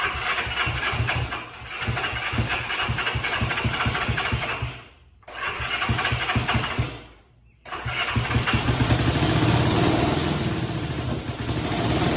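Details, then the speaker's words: 1965 Honda CB77 Super Hawk twin being restored, cranked with the choke on after the spark plugs were swapped around: the starter churns in rapid even pulses, about three a second, showing signs of life but never running on its own. "As soon as I did that, there were clear signs of life. Like you could hear it. It was trying. It was there."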